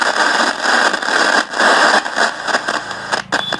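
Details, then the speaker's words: Philips FM radio, dropped and broken with a wire come loose, switched on: harsh scratchy crackle and hiss bursting in and out irregularly from the faulty 10K on-off volume control (VC) potentiometer, which needs replacing. "দেখতে পাচ্ছ কেমন আওয়াজ করছে। তার মানে বন্ধুরা এই যে ভলিউম, এই ভলিউমটা খারাপ আছে।"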